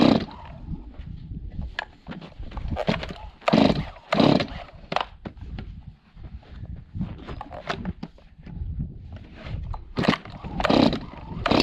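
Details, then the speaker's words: Long-neglected Stihl 026 two-stroke chainsaw after carburetor cleaning, fresh gas mix, idle adjusted: burbling idle with throttle blips, picks up cleanly and settles; normal idle. "There, idle. That sounds pretty good. So yeah, so this thing is doing, I'm not a chainsaw expert, but this seems like it's running really well now. That idle was super easy to adjust."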